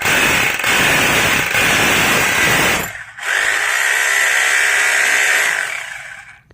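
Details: Rotary hammer drill (SDS plus bit) in concrete hammer-drill mode after repairing a failure to hammer: loud, steady hammering roar at full speed with one brief let-off; now hammers strongly and evenly, repair successful.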